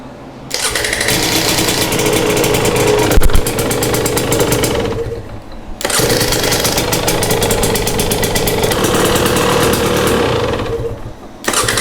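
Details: 2022 Husqvarna TE250i two-stroke, 157 hours, final heat cycle after top end rebuild: crisp crackle blips up and drops back in two even runs, clean revs and steady firing; sounds healthy.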